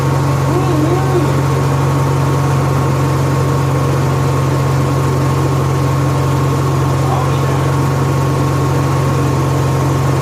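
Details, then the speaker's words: Honda EXW171S welder generator, sat in a barn over 5 years, run indoors after choke warm-up: steady, even low hum with no misses, knocks or surging, smooth and quiet; normal running. "I know it's weird building this on a cell myself and you run a generator inside it's real quiet we warmed up in the choke code throttle mode"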